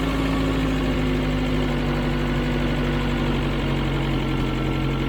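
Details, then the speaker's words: 1996 Tracker idling after a fuel pressure regulator replacement: steady, even four-cylinder hum with no misses or knocks. It runs smoother than before, with a small hesitation when the gas pedal is first tapped; likely fixed. "Okay, it's even running smoother than it was before. Still has a small amount of hesitation."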